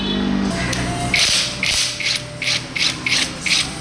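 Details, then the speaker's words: Perodua Myvi Old A/C compressor, pressure plate starting to burn, pulley turned by hand: dry rough rasping grind in uneven strokes about twice a second; compressor not seized but pulley very tight, bearing destroyed and wobbling, compressor wall worn; compressor replacement needed. "Dia punya kompressor tak jam tapi sangatlah ketat dia punya puli. Hmm. Dia punya puli, jangan cakaplah dia punya bearing dah hancur dah ni."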